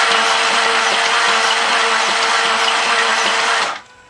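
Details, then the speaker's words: 2000 Jaguar XK8 that sat 2–3 years on stale gas: fast, even whirring crank with no compression beats, then it stops abruptly; sounds like no compression. A bad body-to-engine ground was also found; compression test planned. "Now this. has like no compression."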